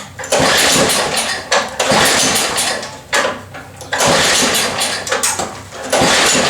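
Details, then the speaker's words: Cheap MTD snow blower small engine with governor issues, first run after work: screams at a high, steady speed with loud surges and dips, running too high; governor spring set too tight and needs tuning down. "so all right i suspected that it would run high and it is if you heard that"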